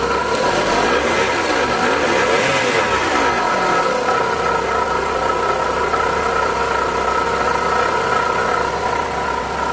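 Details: Suzuki DA64V with K6A non-turbo petrol engine idling loudly: steady whirring whine from a worn water pump; also losing coolant, oil warning light on, radiator dirty; pump, oil sender, belt and radiator cap to be replaced.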